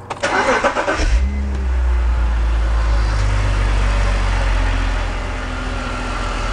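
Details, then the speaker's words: E46 BMW 3-Series with a sporadic misfire on startup that set a code, coils swapped back: cranks briefly and settles into a smooth, steady low idle with no stumbles. No misfire heard; the problem seems to fade as the engine warms up. "Yeah, I don't hear the misfires now. So again, I think once this thing starts to warm up, the problem starts to go away."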